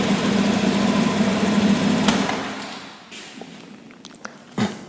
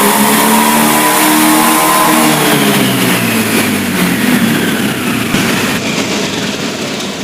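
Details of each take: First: Honda Beat injection scooter: engine revs up, then sags and falters at higher throttle like running out of fuel; caused by a faulty throttle position sensor. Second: Honda Beat injection scooter after replacing faulty TPS (throttle position sensor) that caused stumbling at high rpm: engine climbs and falls smoothly through the revs with no stumble; normal revving.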